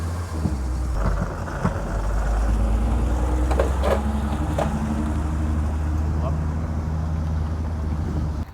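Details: BMW 330i, written-off non-runner bought from Copart, first start: uneven, lumpy running with irregular stumbles over a low rumble; running rough, possibly misfiring, hoped to need only plugs or coils.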